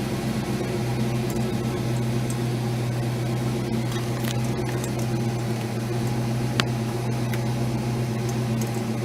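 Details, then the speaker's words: Ford Mustang that sputtered when nearly out of fuel, started after the fuel pump was heard running: a steady, even low hum with no stumbles; normal idle, though it had stalled after five seconds the day before. "pump sounds like it's running let's try starting it"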